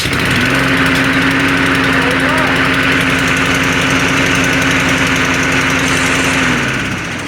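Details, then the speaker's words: Small single-cylinder mower, cold start on manual choke in a garage after fixing an exhaust leak that made it very loud: runs smooth and steady with an even, rapid beat; healthy, just loud indoors. "Now it still sounds pretty loud because we're in a garage. It's raining out, so I couldn't do it out in the lawn."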